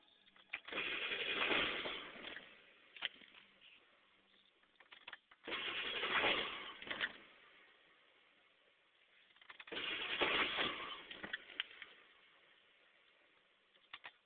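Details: PSD diesel: three separate cranking attempts of about two seconds each with quiet gaps; turns over but never fires; cranks but won't start.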